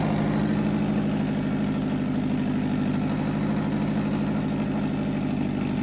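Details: 2006 Subaru with swapped JDM WRX engine and 6-speed, after correcting the reversed fuel feed line, first successful start: steady even low idle, smooth pulse, no ticking, knocking or misfire; runs healthy.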